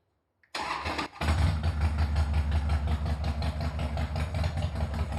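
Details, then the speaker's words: Harley-Davidson after All Balls starter clutch replacement: starter catches and the V-twin fires straight into an even loping idle with clean regular beats; cracking noise at startup gone. "so um this is what she sounds like now and the cracking noise that uh we heard at startup has"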